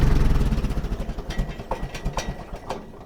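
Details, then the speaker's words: 1961 Oliver 550 tractor with a Marvel Schebler carburetor, shutdown after carb work: the engine keeps sputtering in uneven chuffs after key-off, dieseling (run-on). The owner suspects a slightly lean mixture, idle above the roughly 400 rpm he thinks is spec, or timing off, unconfirmed. "see if I've got an idle too high I think these are supposed to be like 400 see it diesels when I shut it"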